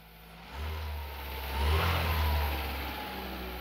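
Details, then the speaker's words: 1980 VW Rabbit with CIS fuel injection, first start after injector cleaning and setting the timing, running off its own tank: it starts right up and blips smoothly, settling without misses or knocks. Normal revving. "let it pressurize and crank it starts right up to that it's pretty good"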